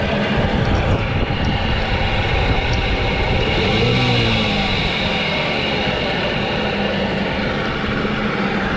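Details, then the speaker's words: Rebuilt Nissan Tohatsu 9.8 hp two-stroke outboard, new piston rings, new carburetor not yet adjusted: rough raspy drone with brief rev rise and fall; runs but mixture needs fine adjustment, stalls afterward. "This motor's giving us a heck of a hard time, but like the Castaway, we made fire!"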